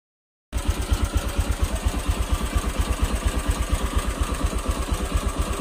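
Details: Honda Click 150/125 scooter engine before overhaul, idling with a heavy, rhythmic knocking: connecting rod big-end bearing knock with piston slap.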